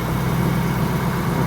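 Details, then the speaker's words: 2004 Ford Mustang Mach 1 V8 revived after sitting under a tarp, short stretch of smooth low steady idle rumble, no misses or knocks, likened to a supercharger sound; normal idle. "Dude, this thing sounds like a supercharger."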